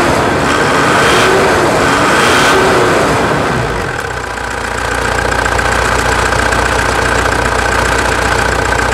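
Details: 2016 Mitsubishi Triton 3.2 diesel idling after an oil-change service with engine and fuel additives and a washed air-filter hose: steady, even diesel clatter with no knocks or misses; normal, healthy idle.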